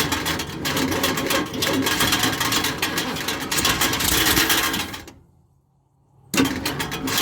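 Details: 1976 Ford F250 crew cab V8 parked 17 years, gas poured into carb, weak battery: uneven lumpy chugging about three or four beats a second, dies briefly and catches again; owner suspects fuel starvation, unconfirmed.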